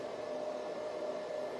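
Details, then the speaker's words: Power supply unit for an Antminer L3+ ASIC miner, plugged in alone before the miner runs: soft steady airy fan hiss with a faint even hum, no rattles; a very quiet, normally running PSU fan. "as you can hear it's not making making much noise so this is a very quiet power supply unit"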